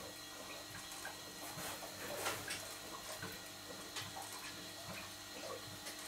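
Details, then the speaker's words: Large model showman's engine, driver's-eye view: soft irregular gurgling and trickling over light mechanical ticking, crankshaft-driven water pump returning water to tank through open bypass; normal. "the water gurgling noise that you can hear is the crank shaft driven water pump returning the water back to the tank because the bypass is open"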